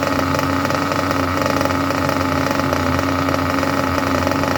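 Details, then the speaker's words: Junkyard Mutt nitro engine on a break-in stand after leaning the low-end needle a touch: fast, even buzzing idle at steady pitch with no hunting or stumbles; normal idle. "Well, I will tell you what, if that is not an absolutely lovely idle, I do not know what is. That is absolutely magnificent when it comes to idle."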